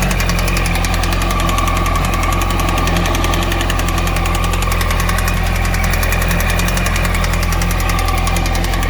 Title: Yamaha YZF R1 RN19 2008 Engine Knocking